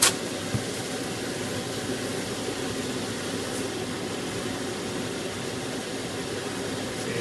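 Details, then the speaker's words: Household range hood extractor on speed 3 after removing and cleaning the greasy filter element: steady even rush of air with smooth fan tone, no rattle or drone; suction much better, normal running. "Right, now let's turn it back on. And we'll put it on 3 again. You can hear the difference straight away."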